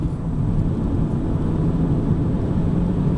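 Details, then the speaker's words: Vauxhall Astra Club hatchback, factory dual-fuel LPG, road test pulling away in second gear: even low engine rumble under road noise, accelerates smoothly with no clunks or groans; drivetrain healthy. "Away in second gear again. Accelerates nice and smoothly."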